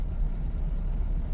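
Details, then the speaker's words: 2015 GMC Yukon that shakes and stalls, after its upper and lower oxygen sensors were found swapped and reconnected: deep, lumpy rumble surging unevenly, shaking felt in the seat, worsening until the engine stalls. "empezó la tembladera la tembladera y ahorita pum se apaga Ahí está cada vez peor cada vez peor aquí estoy sintiendo en el asiento peor peor peor peor"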